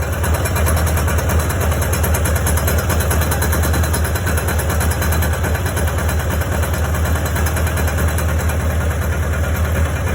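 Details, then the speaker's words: 1992 Kawasaki Ninja ZX7, 4,800 miles, idling with a sharp, rapid ticking knock over a low exhaust drone, first suspected to be top end; the internals checked fine, and it was an exhaust header leak from missing gaskets, with new gaskets ordered. "so I'm pretty confident at this point that it was in fact the exhaust leak there were no gaskets now that I think about it when I pulled them off"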